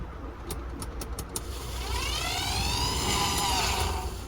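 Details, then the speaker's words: Mercedes-Benz W202 heater blower fan motor after repair (resoldered, clips and springs refitted), bench-tested loose before reinstalling: a few plug clicks then a smooth rising whir with no scraping or grinding; motor works fine. "Perfect. Our motor is now functioning fine and can be refitted back to the vehicle."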